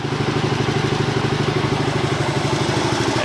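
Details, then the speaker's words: 1981 Yamaha TT250 single-cylinder motorcycle after a top-end rebuild, idling just after starting: steady, even thumping with no knocks or rattles. Normal idle. "so here it has started um as you can see it sounds pretty nice the light works"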